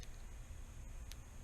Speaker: see a little burn mark on the tape that's where it's arcing so we're losing a little bit of power right there